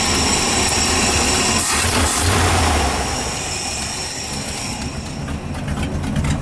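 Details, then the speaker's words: 1978 Ford F-700 with new plug wires, not fully hot, carburetor mixture screws being turned in from a rich setting; loud, uneven, lumpy idle with a wavering drone and a small exhaust manifold gasket leak, still rough but much better. "Still sounding a little off. I can hear a tiny exhaust leak over there. That's a manifold gasket."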